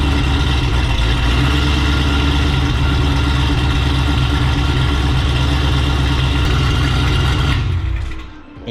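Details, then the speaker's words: 6th-gen Chevrolet Camaro V8 with newly installed Antigravity lithium battery replacing a dead Diehard after electrical drain issues: instantaneous start settling into a smooth, steady deep idle with no stumble, normal. "i will say the cranking the car up to start is instantaneous so we'll go ahead and do that so you guys can hear it"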